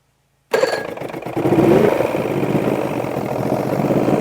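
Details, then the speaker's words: Force outboard on a Bayliner boat, first test run: engine catches and holds a steady, somewhat fast run only with the carburetor throttle follower pushed well past its mark; owner questions the linkage setting. "And I've had to push it way past that just to try and get it to to run, you know?"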